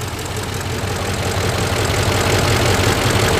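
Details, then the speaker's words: 2005 Ford F-150 4x4 5.4L V8, code P0357 (cylinder 7 ignition primary), runs rough: a lumpy idle with an uneven thump nearly three times a second. Cylinder 3 had 120 psi cranking but low running compression, and misfire data shows three cylinders missing. "cranking it was okay then let's see where is this running and it's low and so it's speed you can hear it missing real bad"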